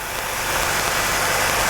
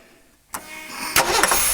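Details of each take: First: 1985 Jeep CJ7, 4.2L 258, new throttle body fuel injection kit, started after removing the ALDL jumper: steady, fast, even hissy idle at about 1200 rpm on the timing-light tach. It sits high until the throttle stop is adjusted to 725–750 rpm. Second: 1985 Jeep CJ7 4.2L 258 inline-six just converted from carburetor to throttle body fuel injection: after an ECU reset it cranks, catches and flares to a 1,400 rpm fast idle that drops back within 15–20 seconds, a normal start-up.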